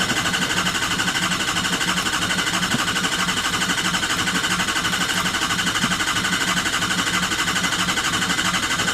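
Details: 2003 Ford F250 Super Duty 6.0L Powerstroke after oil cooler replacement and EGR welded shut: cranks steadily but never fires; FICM sync 0 key-on, 1 cranking, logic/vehicle power 10.5 V cranking, ICP 147 psi, oil pressure gauge flickers.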